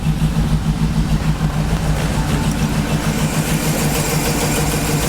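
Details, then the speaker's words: Cheap GMC Yukon V8 starts first try and settles into a steady, even idle with a smooth low rumble and no knocks, taps or rattles; radiator is leaking but engine sounds healthy; normal idle. "but it starts up first try and runs pretty"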